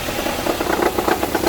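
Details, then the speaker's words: Nissan Sentra at 180,000 km, idling with irregular rattling chatter riding with the belt; seized alternator overrunning (one-way) pulley makes the belt tensioner shake, to be replaced with new pulley. "vocês viram que o tensionador ali se mexendo né fazendo barulho e a culpa é da polia de roda livre do alternador Por quê Ela está travada"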